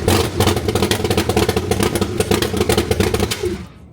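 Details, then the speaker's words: C3 Corvette after timing chain replacement, coolant level dropping, head gasket leak or loose head bolts suspected, others suspect electrical: fires, runs rough with uneven pulses a few seconds, then dies, white smoke from carb: stalling after start. "so shut up you see how she installs like how she spoofs white smoke out the carb and immediately stars like what is that about one more time"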